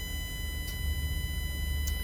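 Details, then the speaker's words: Bus air brake pre-trip check: fast idle at about 700 rpm building air pressure, front tank passing 75 psi toward 100 psi minimum before moving; steady high-pitched low air pressure warning buzzer over low diesel idle, still sounding while tanks build. "Now once we get to 100, you see the low air warning device going off."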